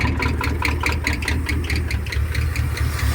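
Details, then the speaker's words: 1973 Ford F-250 V8 with glass-pack exhaust, first start in 18 years, just started: deep burble with an uneven, loping beat of about two pulses a second, idling rough and unhappy, smoothing as idle is raised. "but it sounds good those glass packs are hitting on point about the eyelid up a little bit she's not happy down there"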